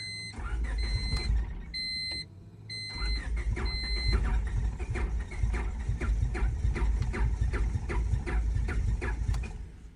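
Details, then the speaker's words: $900 Honda Civic with about 400k miles, one spark plug broken off, cranked on only three cylinders with worn plugs; uneven cranking with a steady rhythmic churn, never fires. Owner suspects it needs all four cylinders to run. "I think the car just ran so bad before that, with these spark plugs already worn out, that it needs 4. There's no way it can run off 3."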